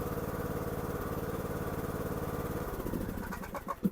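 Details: Craftsman T1400 riding mower single-cylinder engine, after gas-in-oil from a leaking carburetor was fixed, during 20–25 minute run-in to seal head gasket; even putter at steady speed, then winding down. Normal clean running.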